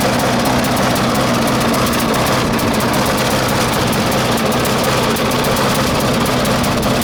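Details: 1996 Murray 20-inch mower, Briggs & Stratton 4 HP single-cylinder, cold start at 3 °C after 10 months sitting: harsh buzzy drone with ragged, uneven edge; lean, not getting enough fuel; different idle spring fitted, may need spring adjustment.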